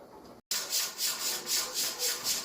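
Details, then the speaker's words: Pressure canner processing raw chicken for 75 minutes, about one minute left; jiggler weight rocking normally, rhythmic evenly spaced hissing pulses about four a second, steady in strength. "all right so i got about a minute left and you can see the jiggles jiggling like it's supposed to"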